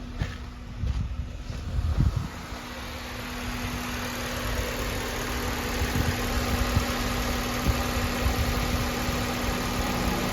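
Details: Honda K20Z3 Si engine swapped into a base RSX, still on the base ECU with check engine light on: steady, even four-cylinder idle with low hum, no knocking or misfire; sounds healthy.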